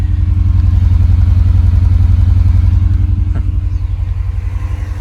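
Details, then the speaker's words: Honda S2000 idling with coil packs unplugged one by one: uneven, lumpy, deep loping idle with a stumbling pulse about four times a second; misfire from a dead cylinder traced to the failed fourth coil pack. "so yeah i still got the misfiring sounds like a"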